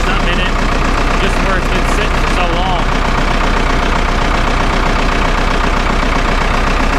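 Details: Vermeer 1800 chipper diesel, first start after sitting about four years, bought at auction: steady, even idle with low regular beat, no knocks or misses; normal diesel idle.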